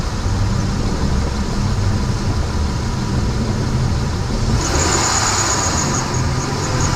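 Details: Engine running steadily, then a thin, high squeal comes in over the idle about halfway; an alternator pulley squeak from a worn pulley bearing.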